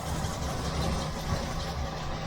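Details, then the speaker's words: 1971 Range Rover V8 idling lumpy with a steady misfire; one cylinder dead, number one cylinder found misbehaving when checking exhaust port temperatures. "right let's get the body open see what's going on under here i've got quite a misfire"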